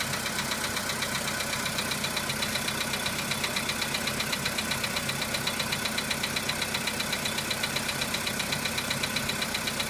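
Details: VW Polo Sedan engine at cold-start idle: sharp, even ticking knock about two and a half per second; knock fades as the engine warms up, cause not identified.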